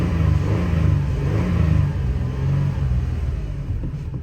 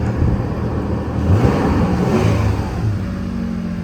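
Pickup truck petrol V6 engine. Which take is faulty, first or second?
first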